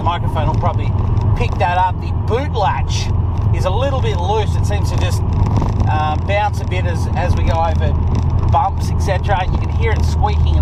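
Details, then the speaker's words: 2006 Subaru WRX Hawkeye driving over bumps: short chirpy squeaks come and go over heavy road rumble. The boot latch catches but is slightly loose, bouncing and squeaking at the back. "the boots just slightly um catch is catching but it just seems a little bit loose so something else i have to look into"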